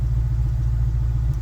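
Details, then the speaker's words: 2001 Honda S2000 AP1 at idle after replacing the ELD with a used unit, P1298 code and check engine light persisting; low rumbling idle with occasional uneven pops, misfiring; owner suspects bad used unit. "All right, right off the bat, I still hear the popping. The check engine light's still there, so I'm gonna see what it is."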